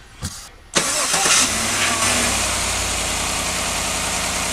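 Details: 2015 GMC Yukon XL that had a no-crank problem with a good battery, just after starter motor replacement: a brief quick crank catches in under a second, then settles into a steady, even idle; starts normally.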